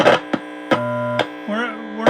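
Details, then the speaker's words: Heathkit IT-12 tube unit under repair: steady low mains hum with sharp clicks and a wavering tone through the speaker; audio stages pass signal but it is lost in the RF section, and the volume control is faulty. "We're losing it on the RF on here, and there's something going wrong in there right there."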